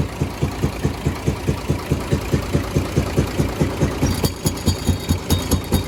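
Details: UD/Nissan FE6 6-cylinder 24-valve truck engine at idle; heavy chuffing beat about once a second, louder on the intake/air-filter side, pointing to leaking intake valves, worn guides; camshaft and valve seal problems.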